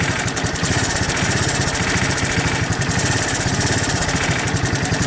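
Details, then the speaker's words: 1984 Honda ATC 200ES Big Red three-wheeler after carburetor cleaning, cold with choke on; single-cylinder thumping at a slow slightly uneven idle, idle speed too low and needs raising. "Sounds like I gotta tweak the idle up a little bit so the choke's on."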